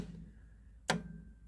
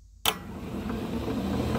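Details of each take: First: Club Car golf cart, voltmeter between solenoid terminal and battery: solenoid clicks twice as accelerator pedal engages micro switches but gives no voltage; scored contacts, solenoid needs replacing. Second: Club Car golf cart on raised wheels, first solenoid engaged by pedal for low speed: electric drive motor snaps on and spins the tires with a steady whir and hum, no grinding; solenoid contacts good, normal drive motor run.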